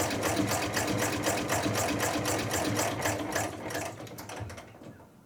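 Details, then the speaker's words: Chinese-built true mini diesel engine under test; light even mechanical clatter about four beats a second that slows and stops, running steadily, and it can be hand cranked. "And yes, I got the engine running, and it's running rather properly."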